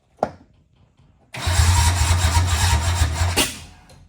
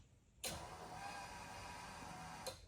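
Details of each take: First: 1976 Datsun 280Z, first start after sitting 15+ years, aftermarket EFI on a base tune; cranks, stumbles, then catches with a harsh, loud, uneven rev before dying. Rough, angry running on the untuned base map. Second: 1976 Datsun 280Z, first start attempt after sitting 15+ years, with an aftermarket EFI/ECU on a base tune. At key-on a steady whirring buzz lasts about two seconds, then cuts off: fuel pump priming normally.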